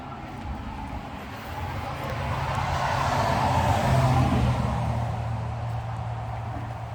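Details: 1968 Dodge Sweptline pickup after replacing a broken vacuum cap on the front of the carburetor and refitting a loose spark plug wire, which had revved up too fast: steady even low rumble, swells slightly and settles, no misses. Normal idle.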